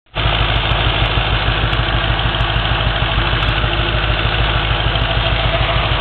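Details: Audi A4/S4 4.2 V8 idling with a slightly uneven, stumbling beat; slight misfire diagnosed on cylinder 6 with a Sealey VS8650 scan tool after coil pack recall, cured by new spark plugs.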